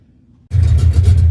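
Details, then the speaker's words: Mustang V8 after repairing off-road-damaged exhaust with resealed headers and H-pipe: catches and settles into a deep, steady rumble, no puffing or ticking; no exhaust leaks felt. "All right, sounds great. I don't feel any exhaust leaks anywhere."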